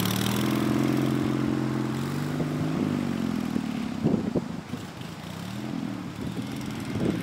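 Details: Racing Panzer small engine after carburetor cleaning and fuel pump install: pulls up cleanly, settles into an even steady putter with no misses or knocks; now running good.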